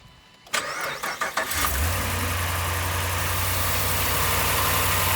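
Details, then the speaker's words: 2015 RAM 1500 5.7 HEMI after fitting aftermarket headers and replacing the passenger-side header gasket with Fel-Pro: cranks, catches, settles into solid, quiet, even idle with no ticking; exhaust leak fixed. "that sounds way better that's that sounds solid quiet as a little church [Music] mouse gave it a little bit of a growl"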